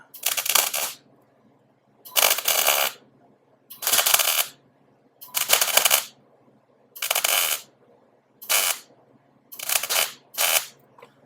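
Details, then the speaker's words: MIG welder set very low on super-thin sheet metal while fitting a VW headlight into a fender: short crackling bursts with popping back, a cold weld adding material without burning through. "can hear that welder popping back because it's a cold weld trying to just add material without burning through because it's sheet metal"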